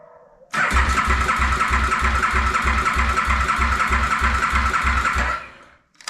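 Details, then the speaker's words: 2008 KTM Super Duke 990 after reassembly, rectifier ground reconnected, in neutral, fuel pump priming: starter whirs with steady compression pulses about three per second for five seconds, never fires; next step would be checking spark and fuel at injectors. "nothing not groovy what else could we be missing you no action uh I mean I guess the next thing to do would be check for spark you know and see if we're getting fuel down there at the injectors"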